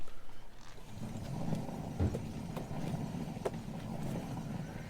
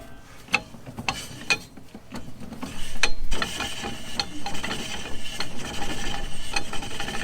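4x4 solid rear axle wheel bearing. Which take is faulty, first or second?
first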